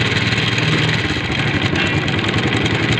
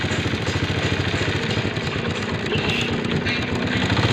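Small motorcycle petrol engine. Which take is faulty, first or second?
first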